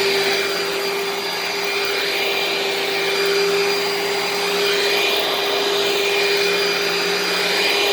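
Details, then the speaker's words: Dirt Devil vacuum with swivel casters running: steady, loud high-pitched motor whine with no grinding or wobble, though not too loud for a Dirt Devil; healthy running. "it's also not too loud for a dirt devil i mean don't get me wrong it's loud but it's not for a dirt devil"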